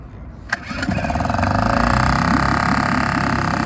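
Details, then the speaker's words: A Suzuki 2.5 HP outboard, cold started with the choke out and throttle fully open. One smooth pull, then it fires into a fast, even buzz that settles as the choke is pushed in. A healthy cold start. "you hear a high rpf that's because it chokes out you also hear the rpm start to settle down as that drops you can now push the choke in it's idling very nicely"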